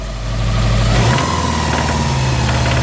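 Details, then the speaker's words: Subaru WRX STI EJ25 2.5L boxer with timing cover off, rev from idle: faint scattered knocks as revs climb; known pre-existing engine knock, suspected failed hydraulic timing belt tensioner, not confirmed. "that is the timing tensioner this hydraulic one is shot so we're going to start it up"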